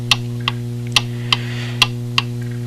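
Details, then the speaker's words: Antique pendulum clock: ticks alternate short and long gaps, about a third then half a second, over mains hum, beat long on the left side; out of beat, to be corrected by bending the crutch wire. "tick-tock you can hear that it's long on this left side that's the direction I'm going to bend that crutch wire"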